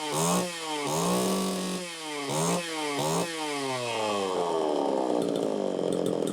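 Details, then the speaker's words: Chainsaw test run after earlier lean start likely from fuel puddled in crankcase after long idling; starts easily and revs cleanly in quick blips, pitch rising and falling smoothly, normal running. "that sounds good it started easily it's revving up rig"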